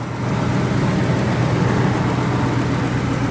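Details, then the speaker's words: Ford 4.6 Triton V8 after removing a broken spark plug and fitting a new one: a little rough at first cold start while WD-40 and oil in the cylinder burn off, now an even, steady rumble with no tapping. Normal idle. "it should like it was a little rough when I first started now you can see it's real sm"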